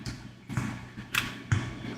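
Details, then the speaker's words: Apple HomePod waking from or entering standby before repair: sharp thumps and pops a fraction of a second apart over quiet hiss; the loud pop indicates worn output filters. "all homepods are going to pop when they go in or out of standby mode but how loud that pop is is an indicator of how good those filters still"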